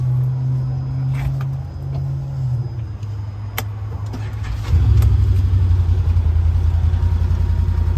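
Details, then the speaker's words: Brand-new Can-Am Defender Lone Star side-by-side that repeatedly wouldn't start despite a good battery. Started while pressing the brake: the engine catches and settles, then a firm rev builds smoothly and holds strong and even; a healthy start and run. "then my beautiful wife brought up an interesting question did you try pressing the break I said I know I'm not putting in gear she says we'll try pressing on the brake"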